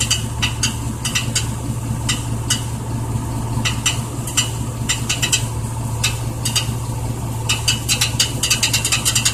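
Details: 1999 Chevy Silverado: steady low engine hum with irregular bursts of light, tinny rattling clicks coming and going; owner asks what the rattling noise is.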